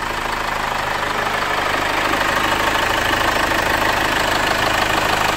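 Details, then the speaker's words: 2015 Chevrolet Captiva Diesel FL2 after fixing turbo O-ring and gasket leaks, turbo hose, and leaking injectors 1–3: restarted, steady even diesel idle with no stumble, warming five minutes, expected to get smoother. "Kita biarkan dulu mesinnya nyala 5 menit. Nanti semakin lama mesinnya akan terdengar, semakin rata dan semakin halus."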